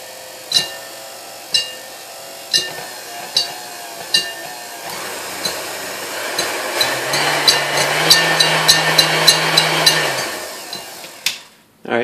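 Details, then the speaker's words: Previously repainted KitchenAid Model 3B stand mixer with aluminum bowl, first run before restoration: sharp metallic clinks about once a second, quickening as motor hum rises; whip hitting the bowl, needs height adjustment. "it does run. It needs a little adjustment because the whipper is hitting the bowl,"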